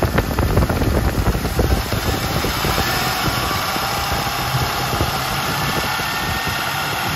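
A light, quick tapping rides over a steady V8 idle rumble and keeps time with the engine; the source is not pinned down.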